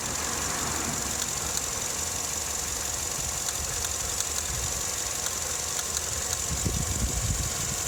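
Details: Vauxhall Astra MK6, warm engine: uneven, lumpy rough idle with faint irregular knocks under a steady hiss; it also shudders while accelerating. Cause not found.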